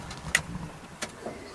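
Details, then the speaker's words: Nissan 350Z with coilovers and newly installed front air cup lift system, first test: three short, sharp clicks about a second apart as the solenoid switches when powered. "you hear that flick I heard click"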